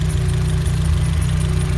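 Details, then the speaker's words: Renault Twingo Mk1 D4F 702 engine on a very cold day, not yet warm: cold idle with steady low beat that stumbles now and then, intermittent misfire, spark plug wires seen shuddering when it misfires. "so I'm going to let it warm up and then see what it misfires. You may not be able to hear it over the sound of the PO. The PO is very loud, but you can actually see the spark plug wires actually shuddering, and that's basically when it misfires."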